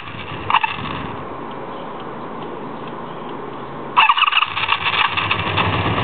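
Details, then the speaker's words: 1984 Honda Magna V65, cold start on choke with a little gas, then half choke: the starter cranks with irregular brief fires that never settle into a run. Very hard starting, cause undiagnosed. "Take off the choke. Half choke. Almost had it."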